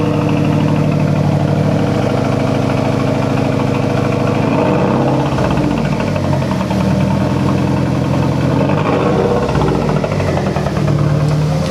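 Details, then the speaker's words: 2006 Mazdaspeed 6 after using 2-step launch control: deep lumpy uneven idle with dropped pulses, engine shaking; bad misfire, owner suspects a blown coil pack. "I don't know if you can tell there, but there's like a misfire, like a pretty bad one. Yeah, even the engine was doing one of these jobs."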